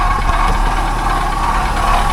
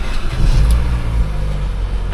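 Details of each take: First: Auction car with very little coolant: a rough, noisy idle with a steady whirring drone and light rattle. A dry water pump, probably leaking coolant, not the timing chain. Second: No chain noise.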